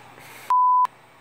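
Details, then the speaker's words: Mattel Barbie computer by Patriot Computers, boot after fan reattached: one steady mid-pitched POST beep of about a third of a second over quiet fan hum, then no boot; cracked motherboard solder joints. "I apparently broke it, or it broke itself because, you know, it was working earlier when I first tested it, and Now it's not"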